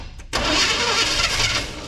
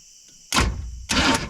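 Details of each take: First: Abandoned square-body C10 with gas poured in the carb, cranked with the coil/HEI wired to battery positive: several seconds of fast cranking with uneven catches, then it falls quiet; fires only briefly on poured fuel. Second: Abandoned square-body Chevy C10 V8 that has been sitting in weeds, starter jumped directly at the battery: two short bursts of even cranking with no gallop, compression sounding reasonably balanced; normal cranking.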